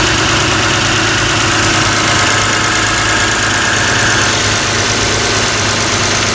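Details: Toyota Camry 3.0 L V6 (2002–2006) idling before PCV valve removal and testing: an even, steady idle with no misses, hiss or ticking. Running normally.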